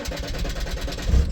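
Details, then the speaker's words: 2013 Mazda BT50 / Ford Ranger 3.2 L Puma five-cylinder diesel cranks at a steady rhythm but dies off and won't start; scope shows no signal from the 5 V-fed three-wire cam sensor under the fuel rail pressure sensor, the faulty cam sensor causing the no-start. "if your car is not starting like this trying to start and it dies off like that and doesn't start"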